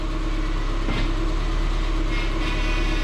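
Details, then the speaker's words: 2006 Subaru Forester idling after power steering pump O-ring repair, with air still in the fluid: steady low hum at full steering lock, ordinary pump load, otherwise quiet and smooth lock to lock; normal power steering noise. "get to get that typical noise when it's all the way over to the far side which i'm not concerned about nice and quiet it's nice and smooth from one side the other"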